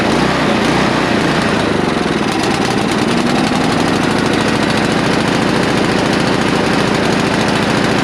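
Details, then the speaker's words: Neglected non-running snow blower, first start after only starting fluid and a cleaned spark plug: small engine racing up and dropping back in a hunting rhythm, surging idle; carburetor needs cleaning. "well she runs that's a beautiful thing but uh she's searching like a bloodhound so i gotta get that call obviously"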